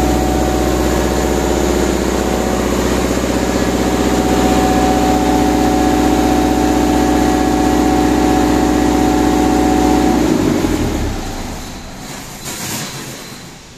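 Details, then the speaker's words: Lincoln Vantage 500 engine welder with Deutz D2011L04I diesel, filters recently changed: settles into steady idle about ten seconds then firing slows and dies; stalls shortly after starting, fuel supply suspected, oil pressure checked fine, controller flags charger. "tenemos la falla en este motosolador vantage 500 de Lincoln que encendemos y se apaga los segundos"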